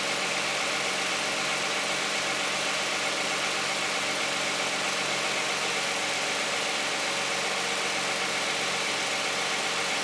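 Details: Cold start of a 2010 Toyota Camry 3.5 V6 with 93,000 miles on Pennzoil Ultra 5W-30 synthetic and a Wix filter: smooth, even idle with a quiet whir and light valvetrain ticking, no knocks or misses; owner finds it pretty quiet.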